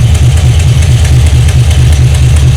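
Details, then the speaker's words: 1978 Chevrolet Malibu build, running: deep steady idle with fast rhythmic puffing tick from one side, exhaust leaking at the header flange with black residue visible. "so when the car is running you hear it bad bad bad bad bad from this side and yeah that's because of the exhaust leak"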